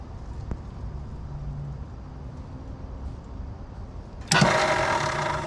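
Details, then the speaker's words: 1966 Mustang off the road since about 1987, after a solenoid bypass and starter reinstall: after a pause the starter bursts into a fast, free whir with no cranking, as if there is no flywheel. The owner suspects a missing flywheel tooth. "I don't know it literally kind of acts like there's no flywheel in it"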